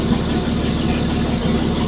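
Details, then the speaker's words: 1941 Chrysler flathead inline six after correcting swapped cylinders 6 and 2 in firing order, which caused shaking: steady even idle with no misses; about 20–30 psi oil pressure at idle. "So, that explains the shaking. So, uh let's fire it up and have another look. Yeah, that's much better."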